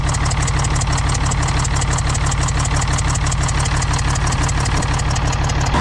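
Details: International D282 diesel in a Galion crane with a rebuilt Roosa Master DBG pump, idling cold with a low chuff and a regular exhaust puff about twice a second. It runs poorly until warm, and the owner suspects a burnt valve or cracked valve seat on cylinder 1.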